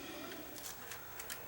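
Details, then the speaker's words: Sony DCR-TRV120 camcorder with error C31:22 that shreds tapes, loading a tape: faint transport whir broken by irregular soft crunches about every third of a second; take-up spool stopped and the tape is being chewed. "Oh, that didn't sound good. That sounded like something got crunched. H. Oh, yeah. Oh, yeah. The takeup spool stopped."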